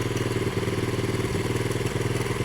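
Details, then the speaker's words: 1970 Honda CL100 single, about 11,000 miles, just freed from seizure, choke off after backing out the idle screw that was screwed in all the way: steady, even thump with no stumbles or hunting; normal idle. "maybe it wasn't it was my uh my idle screw was screwed in all the way wo that sounds good"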